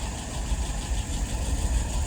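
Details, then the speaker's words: 48 flathead test stand running a restored WO carburetor at slow idle about 675 rpm, fuel pressure 2.75, vacuum 23, dry with no leaks, float set correctly; low even burble, smooth and steady with no misfire or stumble. "Fuel pressure, 2.75. Look at that vacuum, 23. Excellent."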